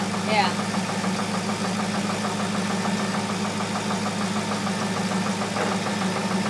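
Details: 2002 Corvette Z06 idling with a sharp, uneven ticking knock over the engine hum, about three a second; knocking from inside the engine.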